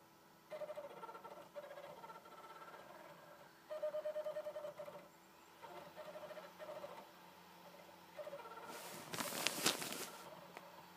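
Short whirring tones rise and stop in repeated bursts over a quiet room, with a brief harsh rattle; the disc drive sounds abnormal while reading.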